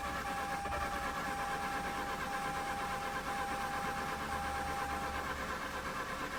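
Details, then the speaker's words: Mazda RX-8 rotary after overheating and coolant loss: steady starter cranking with even churn and faint whine, never catches, crank no-start; owner suspects low compression, helped when some oil gets in. "so that could only mean like one thing i guess low compression and whenever some oil makes it then it helps"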